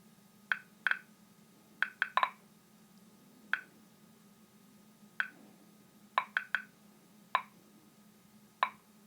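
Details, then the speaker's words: RM-2 geological radiometer, one of two run together on a 225 V high-voltage battery: sharp isolated clicks about once a second at random over a faint low hum; normal background counting, the two units' clicks sound different. "Однако вы обратили внимание, что щелчки первого и второго м сильно отличаются на слух, поэтому давайте сравним радиометры."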